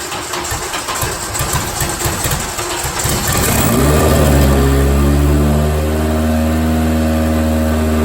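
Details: Honda K20 from a base RSX, turbo swap in MR2-chassis VW Bug, first start with no coolant and open exhaust: catches after a few seconds cranking, loud steady even idle; running fine.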